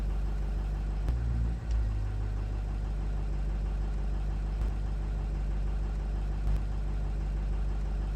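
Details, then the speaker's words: 2006 Ford F250 6.0-liter diesel after replacing the injection pressure regulator (IPR) solenoid for low injection control pressure no-start: after extended cranking, steady deep even rumble settling to smooth idle, no misses or knocks; running normally. "So with the IPR replaced let's see if it runs, and we will have to crank this for just a minute."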